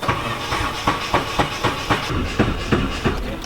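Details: Nissan 240SX with a freshly turbocharged KA24DE-T, started off a booster pack after it died: rough, diesel-like running with sharp ticks about four per second, a stretched timing chain slapping a broken guide after oil starvation (owners first suspected a dropped valve).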